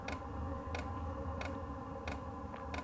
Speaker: I looked up uh whether I need to prime it ahead of time and I believe this unit just self-primes so that's what you hear the ticking right now that's the fuel pump sending fuel into the diesel heater and then once it reaches that it should start firing up